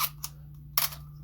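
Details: Canon AE-1 fully reassembled after the shutter squeak/slow shutter fix: crisp quick shutter clicks with no squeak or drag over faint mains hum, firing cleanly and healthy.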